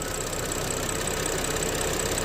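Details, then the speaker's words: BMW X5 N55 at low-rpm idle: thin steady high squeal, heard as if from the rear crankshaft seal or bell housing, over an even idle. Pressing the valve-cover PCV makes it disappear; its spring seems too long. PCV valve squeal. "So right now I hear the squeezing noise from the rear crankshaft seal, and I just press it a little bit and it disappears."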